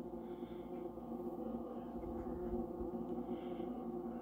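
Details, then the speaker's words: LG linear-compressor fridge under a year old, noise began almost immediately, groans about half the time: steady droning groan with several low hum tones; compressor groaning, cause unknown. "so it's an lg we're told that this uh linear compressor was the kind of key thing here and uh it's just stopped its worst groaning but this is so bad"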